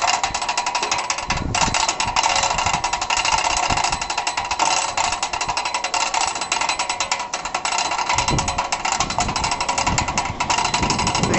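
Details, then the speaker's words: NuCraft 6000 hoist winch during assembly, wheel turned clockwise to reel in the cable: fast, steady ratchet clicks run crisp and even without slipping or grinding, so the winch works normally. "basically turn the wheel clockwise you can hear that clicking going on here you just turn it until you have a nice reel going there"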